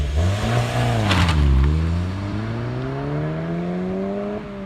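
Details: Mk7 Golf GTI, about a year old, stock exhaust in sport mode, accelerating out of a 30 zone: a smooth note climbing steadily in pitch through the gear, clean with no rattles. Healthy, though the owner finds it boring.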